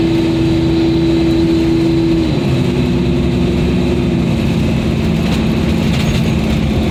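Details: Gus Gus at 45 mph on the highway after exhaust repair with V-band clamps and a tailpipe brace, recorded in the cabin without headliner or rear hatch trim: loud but steady, even drone with no rasp, leak puffs or rattles. Normal exhaust.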